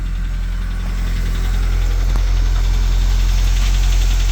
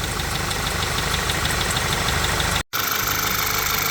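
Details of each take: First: VW Jetta after reconnecting the forgotten PCV valve: light, fairly even ticking rattle about 200 per minute over a steady low idle, cause unknown; an oil leak later appeared to come from the balance shaft tensioner. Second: VW Jetta after engine work and fixing an oil leak at the balance-shaft tensioner, not yet warmed up: steady, even idle with a light regular tick and faint belt chirp. It sounds happier and runs smoothly.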